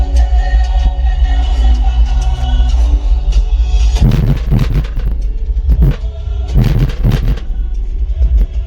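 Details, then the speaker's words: Taramps Smart 3K amps driving DC Audio Level 3 15-inch subs (900 W RMS) in a truck, playing bass music; deep bass thumps set off short buzzy rattles on heavier hits because the enclosure's bracing is inadequate, so the sub box rattles. "So the bracing, I underestimated the power of sound waves, and the bracing is not good enough, so you can hear the box rattle."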